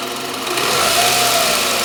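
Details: Toyota Camry 40 with 2.4 engine running: a sharp, ringing metallic knock that is always present, from the front accessory area near the alternator; ringing engine knock, exact source unknown.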